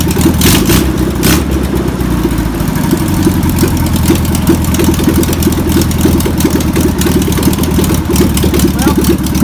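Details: Flat-four in a VW pressed-bumper-panel bus, sitting over 50 years, cranks and catches after penetrating spray and fuel are added, then settles into a steady, slightly lumpy idle with an even low beat. Deemed a runner.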